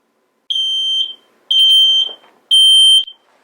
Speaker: that's right it goes beep beep beep it's very loud and very scary but it needs to be loud and scary so when you hear it you know there's danger and smoke in your home